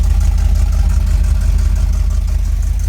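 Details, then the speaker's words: 1983 Camaro Z28 V8 after new plug wires (one burnt on header), new plugs and ignition timing set: deep steady idle with even low pulses, no knock; slight exhaust leak still audible; normal idle. "Yeah, Colin. Admit. You don't hear that knock anymore. Still hear the knock? There was never a knock."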